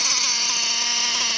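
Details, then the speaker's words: O.S. Speed B21 Adam Drake nitro engine, J21 carb, new ceramic bearings, RC truggy; fuel line pinched at idle: high thin buzz climbs in under 2–3 seconds, so low-end mixture slightly lean, to be richened. "That's a little fast. I'll probably richen up the low end just a little bit more."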